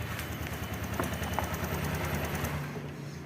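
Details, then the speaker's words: Honda Vario 125 scooter that had lost ignition (starter worked, fuel pump hummed), with the brittle, near-broken ECU ground wire found: the single-cylinder engine now starts and ticks over at a steady, even idle with a light mechanical patter, running normally. "coba Nyalakan cek Apakah bisa menyala motornya ya sip Ini motor sudah nyala teman-teman ya"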